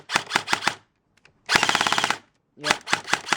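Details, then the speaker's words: G&G airsoft gun after new motor install and motor height adjustment: three short bursts of rapid even cycling, about twenty shots a second, crisp, no high-pitched screech; normal firing. "sounds normal for a G&G."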